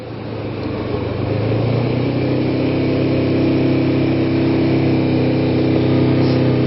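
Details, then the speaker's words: Kawasaki Ninja 250 (EX250), carbureted, cold engine, choke about 3/4, idling about 4000 rpm: steady fast idle, smooth even buzz, no misses. Normal high idle on choke. "And the effect of this right now is I've got the choke about 3/4 open. It's idling about 4K."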